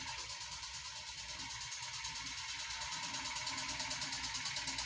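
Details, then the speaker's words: 2015 Kia Soul 1.6L Gamma GDI four-cylinder petrol engine, 124,000 miles, check engine light on, idling with a loud, sharp, regular lower-end knock about three a second; rod bearing and piston failure (worn connecting rod bearing). "Tapping his ass off. Yeah, that's what we got going on. It's running and it's tapping."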